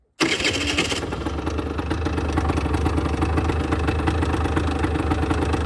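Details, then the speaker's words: 2008 Rieju Matrix 50cc two-stroke, after a new spark plug fixed its no-start: hot electric start that catches right away into a crisp, even idle with no misfires. Normal hot start. "And right now we got it to start when hot with the electric start. So, ignition on right now. It starts fine."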